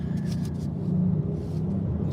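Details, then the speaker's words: 2014 Chevy Cruze 1.4L turbo after new aluminum thermostat and coolant outlet housings, intake manifold and PCV valve cover: idle hunts upward, drone rising and sagging; idle too high, suspected vacuum or boost leak, unconfirmed. "You can hear how how it idles up like this. It's crazy."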